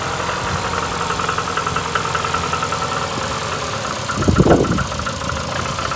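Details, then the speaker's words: VAZ 2115 8-valve, after a blown head gasket at cylinder 1, fresh antifreeze and Lukoil 5W40, valves adjusted three months ago, check engine light on: uneven, lumpy cold idle with a rough surge, misfiring, plus a knock and rubbing sound; cause unknown. "звук какой-то появился. Вот. Вот и здесь. Не знаю, что. Вот звук. Звук какой-то идет. Как будто терется что-то."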